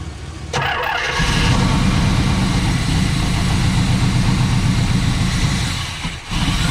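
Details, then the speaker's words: 1978 Pontiac Trans Am 400 V8 four-speed, first start in years after retarding distributor timing: catches and settles into steady even idle with deep smooth burble, no knocks or misses; seems a good motor, vacuum lines unverified. "well i'd have to say that's uh that seems to be a good motor um there is nothing crazy going on"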